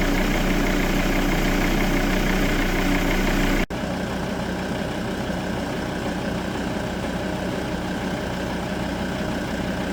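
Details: Volvo V70 D5 diesel, 120 kW, idling after replacing hydraulic lifters (compensators), nine found damaged and one out: smooth steady even clatter with no sharp top-end ticking, the ticking fixed.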